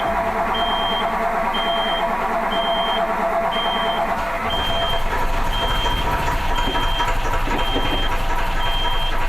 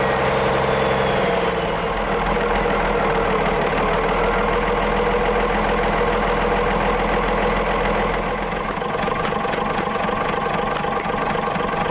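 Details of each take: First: Autosan H9 bus diesel after a long forced standstill: heavy steady cranking under a roughly once-a-second beep from the switched-on power, never catching; fuel lines drained back, and it would not start even with the hand fuel pump. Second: Autosan H9 bus diesel just started after a long standstill: steady idle with an even clatter at around three and a half beats per second, no misses; running normally.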